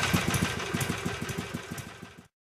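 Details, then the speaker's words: 2006 Harley-Davidson Sportster converted from 883 to 1200, with upgraded intake and exhaust, at idle then a light throttle blip: lumpy, even V-twin pulses with no knocks or rattles; healthy engine, only slightly more bass than before. "as you can hear the idle's pretty tame barely raised my voice and once you give it a little gas it still doesn't sound extremely exciting"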